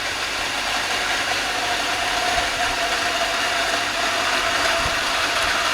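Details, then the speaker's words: Centrifugal water pump cavitating as flow is increased: steady harsh crackling rattle, like gravel tumbling inside, growing heavier as more water flows, from vapour bubbles collapsing on the impeller. "Ji cavitation एलर के ऊपर आके bubble टूट रहे हैं उसकी आवाज है जी sir अभी कम बबल टूट रहे आवाज बढ़ गई"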